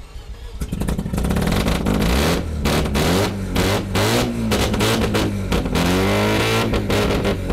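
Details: Mazda FC RX-7 rotary, after fuel tank rust reconditioning. A loud, raspy exhaust climbs and falls cleanly through repeated blips with no misses or knocks: healthy revving, just very loud.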